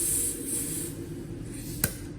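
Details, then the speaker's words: Haas machine high/low gear air cylinder shifting between high and low gear: clean air hiss then a crisp click as the piston seats; rod moves in and out freely with no issue. "And back into low gear, you'll see it come back out. So there's no issues with it going in and out."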